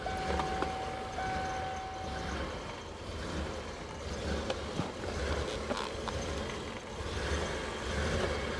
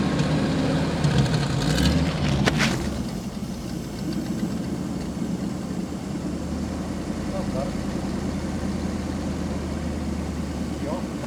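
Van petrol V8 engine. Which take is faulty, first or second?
first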